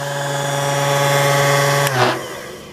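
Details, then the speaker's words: Taylor Lock Co key cutting machine running: steady, even motor hum with a clean tone, no knocks or rattles until it spins down; runs smooth and healthy. "let's run this thing runs really smooth the vibration you can hear just offers tint a ball at a time"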